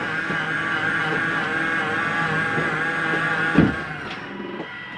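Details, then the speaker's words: Jayco Eagle HT 27RS trailer, slide-out number two retracting: even motor whine, then a short grinding burst as it stops. This is the slide mechanism hitting its end stop, normal despite sounding like grinding. "it's okay to hear this little noise at the end all it is the slide mechanism telling itself not to come in any further"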